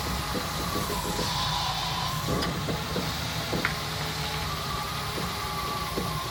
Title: CJ5 Strange Popping Sound